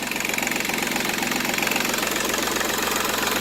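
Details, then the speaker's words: Seat Ibiza 1.4 TDI three-cylinder turbo diesel with 205,000 km at idle: even steady clatter about two and a half beats a second, no misses or heavy knock; runs like a new engine. "ma veramente gira come un motore nuovo. Seat Ibiza 1400 turbo diesel, 3 cilindri."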